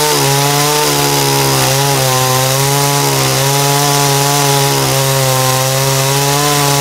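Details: Dolmar chainsaw after carburetor cleaning and readjustment, top speed set around 12,350–12,400 rpm: high, steady buzz holding speed through the cut with only slight dips under load; clean, well-tuned saw.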